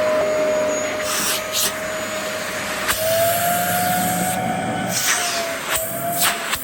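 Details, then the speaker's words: Fully serviced vacuum, brush bar spinning freely, tested on thick carpet: steady motor whine holding its pitch under load with brief handling bumps; works fine after servicing. "So yeah, that works absolutely fine now."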